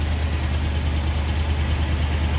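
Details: 1975 International D150 pickup after fuel pump replacement and carburetor rebuild, running off a small gas can with the fan and belts on. Steady, even low idle with no knocks, ticks or misses, and no longer smoky. Normal healthy idle.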